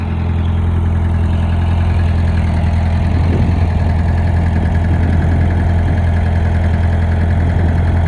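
Deep rumbling idle with an uneven knock running underneath it, a little under three a second; knock noted, cause undetermined.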